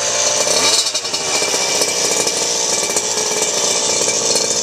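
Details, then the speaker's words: Goped Bigfoot small two-stroke scooter: catches quickly and revs up with a crisp, buzzy, even note and no misfire or rattle; runs really good; normal start-up and rev. "Actually runs really good."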